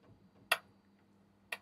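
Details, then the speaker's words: Amplifier on the bench, speaker output at full volume: sharp isolated clicks about once a second with humming; ticking from the top speaker only, owner suspects a bad capacitor. "Why is it making that noise? Bad capacitor. Okay, we got sound out of it. It does work. It's tapping. Yeah, humming and tapping."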